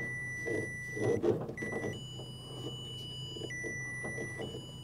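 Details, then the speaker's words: Bobcat S175 with no power to the cab: the continuity tester's tone drops out and returns as the exposed harness wire is wiggled, indicating an intermittent open circuit, possibly at a smushed spot in the wiring harness. "aha's see how I can we can hear the tone but it's not consistent that's"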